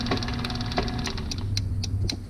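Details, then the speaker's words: Used garage door opener, rail and chain extended for a 12 ft door, run by shorting the wire: motor hum with irregular sharp clunks and ticks. "but i don't like that clunk and it made a couple really bad ones um in between"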